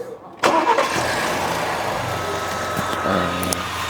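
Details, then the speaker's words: Lincoln engine (shared with F150/Raptor) after VVT cam phaser repair, phasers with worn, ovalized locating pins replaced by four revised-part-number phasers: starts quickly, settles to smooth steady idle, no ticking or rattle; normal after repair. "现在这个声音的话就很正常了，基本上没有什么其他的噪音了。"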